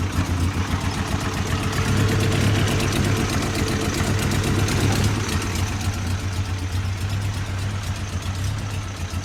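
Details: Toyota 22R four-cylinder rough idle: uneven, stumbling beat of about four pulses a second that come and go; distributor timing is being checked, cause unclear.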